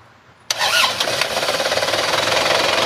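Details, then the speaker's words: Used 2015 Isuzu Panther turbo-diesel pickup: a quick crank, then it catches at once into an even diesel clatter at idle, called smoother than the '23' version; normal diesel start. "kalau udah di starter dia langsung enak banget ya karena ini 25 lebih halus yang daripada yang 23 gitu ya"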